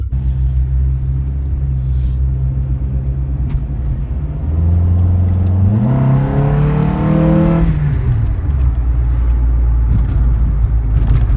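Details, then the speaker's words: Test drive after replacing a front sealed wheel bearing: engine note rises and falls smoothly through a gear change, no growl or hum rising with road speed, no vibrations; normal wheel bearing. "Okay. No vibrations, no humming. Seems like we did the job."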